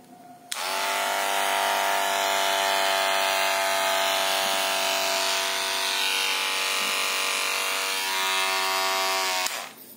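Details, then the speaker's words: Barber hair clipper before the tape fix. A loud, high, rattly buzzing drone comes from a loose blade seat, or blade holder. "sangat keras sekali ya apalagi kalau di dekat telinga pelanggan Nah langsung saja ya bagaimana caranya kita Lepas dulu bautnya sebenarnya yang bikin keras adalah dudukan LED atau pisau cukurnya itu sudah longgar ya"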